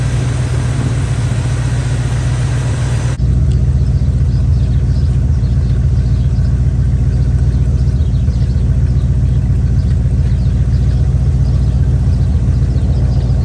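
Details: Chevy square-body barn-find truck, automatic V8 (called a 350), after timing set by ear: smooth, steady idle with an even low rumble, no misses or knocks; motor running decent.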